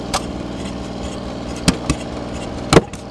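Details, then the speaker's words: Ford 8N tractor with Funk inline-six flathead industrial engine conversion, in third gear: uneven six-cylinder chugging under load with sharp irregular bangs and smoke. Rough running; ignition timing suspected off and was then turned back. "angry I think our timing's off"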